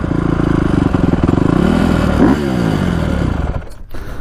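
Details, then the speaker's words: 2010 Honda CRF250R on its first break-in ride with piston rings seating. Crisp, even exhaust note pulling cleanly on and off throttle with no popping, backfire or sputter, and plenty of power. "But runs good, drives good, doesn't backfire or pop, has plenty of power. It's a really nice bike."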